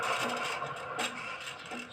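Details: Ceiling fan with a rough, scratchy grinding running steadily under its hum from worn, dry bearings, recorded before the bearing replacement done to cure the annoying noise.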